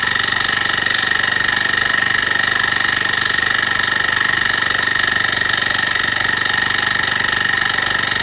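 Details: Honda tiller (kanriki) that had seized, now turns but makes abnormal noise; valve clearance reduced from 0.3 mm to 0.2 mm, yet a thin hissing metallic scrape remains over the steady running. Owner suspects stuck piston or piston rings; unconfirmed.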